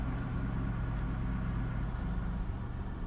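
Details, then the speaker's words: 1998 Holden Commodore VT Berlina after five years in storage and fuel pump replacement, running a few minutes: steady, even low rumble with no knocks, ticks or rattles; smooth, healthy normal idle. "now that she's been running a few minutes just to hear how good she still is even after five years of nothing so smooth now rattles no funky noises smooth idle"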